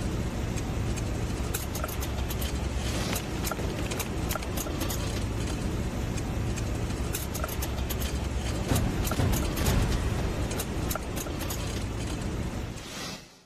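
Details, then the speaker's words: BMW 530Li bought new in 2023, nearly new, while driving: a raspy metallic scraping from under the car like coins dropped on the floor, over road rumble; the dealer confirmed it as driveshaft noise. "是一种金属摩擦的一个声音，就是像硬币掉在地上的一种嚓嚓嚓的那种声音。"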